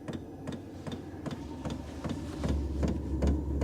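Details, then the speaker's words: Vevor diesel heater starting up: steady sharp ticks about two and a half per second over a low ramping hum, fuel pump priming normally; quietens once running; normal fuel pump clicking. "You hear the clicking in it. And then you can hear it starting to make the noise. It's ramping up."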